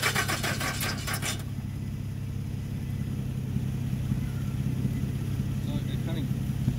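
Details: 2013 Nissan Rogue cranks about a second with quick, even starter churning, then only a low hum; it never starts. Later diagnosis found the ECM not communicating and the battery at 2 V. Crank no start from an ECM fault.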